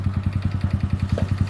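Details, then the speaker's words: Honda Wave 125 after replacing clutch housing, clutch bell and cam bearing: rough noise gone but a sharp light tick about nine per second at idle remains; owner suspects connecting rod, cause unconfirmed. "Then ito yung tunog niya, nawala yung parang magaspang na tunog. Ayan, pero yung parang lagitech na yan, parang sa mismong connecting rod na yata yan."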